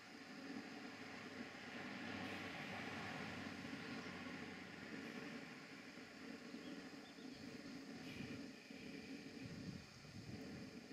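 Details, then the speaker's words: Castle Steam V6 model boiler running a Stuart beam engine with a condenser, in a garden: steady soft hiss over quiet ambience; both safety valves are blowing off from excess boiler pressure. "so at the moment both of the safety valves are currently blowing off from the boiler"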